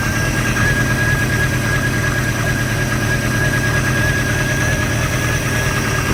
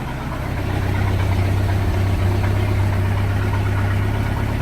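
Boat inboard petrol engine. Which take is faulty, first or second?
first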